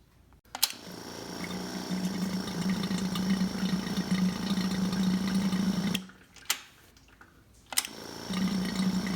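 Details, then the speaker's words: Yamaha V-Star 1100 after carb rebuild and reassembly, electric fuel pump fed from a temporary test tank filling the carb bowl: steady low buzz with a fast ticking pulse that stops as the bowl fills. Normal fuel pump operation. "now that the fuel system is flushed I'll run it one last time to fill this bowl eventually that noise will stop when fuel stops flowing because the carbs will stop the movement of fuel"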